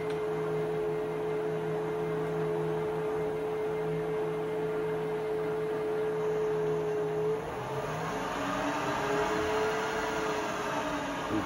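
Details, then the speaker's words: Precision Matthews 1228VF LB lathe with power feed engaged after upgrades; smooth steady hum with a faint even whine, no knocking or gear clatter, gears barely audible, normal quiet running. "so you can hear the difference in the sound so that's that's the lathe running foreign [Music] engaged as you can see it's not very noisy"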